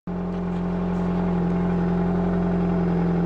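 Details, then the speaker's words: 2004 Nissan Sentra 1.8L after rusted muffler and pipe replacement with a Toyota muffler, in cold, frosty weather: the engine fires up and settles into a smooth, steady low hum with no puffing or rasp. The exhaust sounds good and tight. "Sounds good now."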